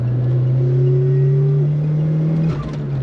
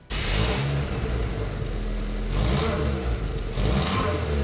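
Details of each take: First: Nissan March Superturbo (twin-charged) on a road drive after fitting fresh JDM parts, custom restored 15-inch wheels and suspension: a smooth, even low exhaust drone rises with speed, much cleaner, with the usual slight supercharger changeover stutter; healthy exhaust note. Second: Nissan March Superturbo (twin-charged), on jack stands, before new exhaust midsection fitted: raspy, flat revs surging and falling in bursts with a hollow, blatty edge; rusted-through pipe and muffler leaking exhaust.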